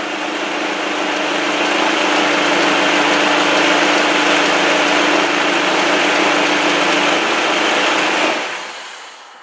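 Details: Car running with AC on and the cooling fan relay plugged in during a relay circuit test: steady rushing airflow over a faint idle, holding level then winding down; radiator fans running normally.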